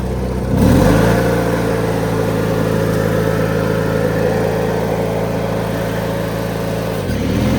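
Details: 2003 Craftsman (AYP) DYT4000 lawn tractor (hydro, electric PTO, GT5000 hood); after a quick rev settles into an even, steady drone, no knocks or misses. Normal running.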